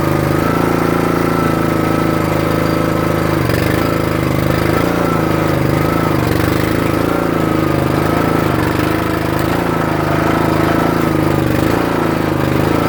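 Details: Troy-Bilt/MTD 27-ton log splitter, about 120 hours, before valve repair: the small single-cylinder engine runs steady with an occasional labouring dip, struggling on the return stroke unless the valve handle is held up; the control valve (believed Energy 326890) is suspected and worsening.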